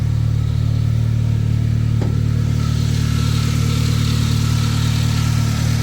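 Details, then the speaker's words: Older Saab from the 9000 era, petrol engine at idle: a faint, even whine riding over the engine hum from noisy belts; belt or idler pulley suspected, with a slight exhaust flange leak also present. "You can hear the belt noise, or the idler pulley noise down there."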